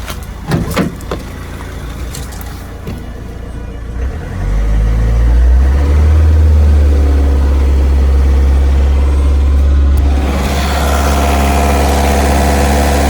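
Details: 2011 Vauxhall/Opel Astra 1.7 CDTi common-rail diesel at idle, owner reports stalling and surging, worse when cold: idle rises to a heavier drone then eases down, hunting; fuel pressure problem suspected, injectors read roughly even.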